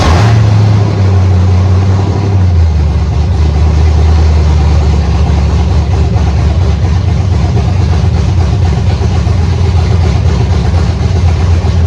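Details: Cadillac CTS wagon with swapped LS V8 (CTS-V clone) and stock 3.0 AWD automatic computer, first start by tripping the starter relay: fires straight up, runs high a couple of seconds, then settles into a deep, steady, even idle; normal idle.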